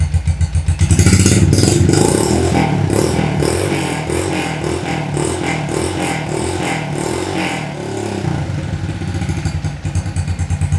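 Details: 50cc moped engine enlarged to 90cc, just reassembled after cylinder head diagnosis and repair and run gently for break-in: small single putters at low revs with a steady, even beat and no knocks or scraping; runs normally.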